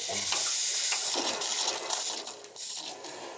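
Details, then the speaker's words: Hot-water heating system refilled and circulating after replacing a freeze-damaged cast iron radiator, heard at a copper convector: irregular gurgling and trickling with bubbling bursts, sounds like it has gas; system needs bleeding; air in the system. "i got the heating system circulated running so it's going to circulate sounds like it's got gas"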